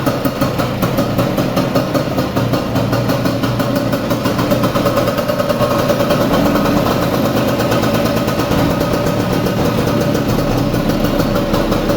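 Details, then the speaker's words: Vespa 150 after repair of a loud engine noise caused by a broken elastic (cush drive) gear, restarted: crisp, evenly spaced two-stroke putter at idle with no rattles or bottom-end clatter; idles cleanly. "A ver, pongo la cámara aquí y la arrancamos otra vez para oírla. Es un reloj suizo."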